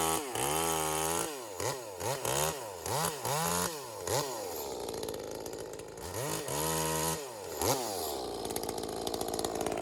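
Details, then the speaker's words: V-Modest 2511 top-handle chainsaw, Echo 2511 clone, high-speed jet around 12.5, cutting branches: revs burble unevenly at full throttle instead of clean scream, four-stroking a little; high jet too rich, clutch slightly whiny. "All right, so it's definitely four-stroking a little bit."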